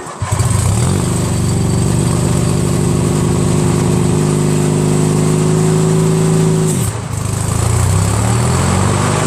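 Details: Craftsman DYT4000 with a 14hp Briggs opposed twin repower, idler tensioner reset, electric PTO driving the 3-blade deck. Starts, settles, rises in pitch, dips briefly as the deck takes load, then recovers. Healthy. Owner blames stiff belts and under-greased spindles from sitting.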